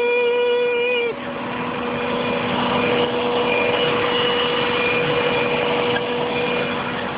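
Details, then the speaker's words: 1998 Subaru Legacy Outback 2.5L, warmed up at idle: steady high pump-like whine from the bottom of the engine, intermittent, possibly only after starting; owner unsure if pump, bearing or pulley. "if anyone can tell me what this whining sound is this is the top of the engine and it's coming from underneath so i'm gonna go underneath and you'll just you should hear the wind sounds almost like a pump some sort of pump that's just going to"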